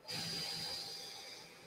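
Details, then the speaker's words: FOKOOS Odin-5 F3 foldable 3D printer, microphone held up to the fan: even airy hiss with a faint steady high note, no rattle or grinding; this is air pressure over the shroud surfaces, since the fan alone is silent outside the shroud; normal. "but the fan itself doesn't make noise if you take the fan out of the shroud you don't hear it what you're hearing is air pressure as it pushes over the surfaces right here"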